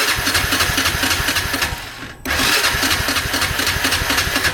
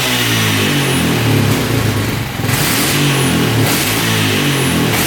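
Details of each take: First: 1998 Honda Foreman 450 ATV, 2,073 miles, 524 hours, choke on then off in neutral: steady starter churn about four beats a second with a few weak puffs and a brief stop; cranks but never fires. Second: 1998 Honda Foreman 450 ATV that cranked but wouldn't run, after the carb was cleaned, the pilot jet raised from 45 to 48 and the air screw set 3 turns out. Repeated clean blips rise and fall quickly and it revs out fully without stumbling.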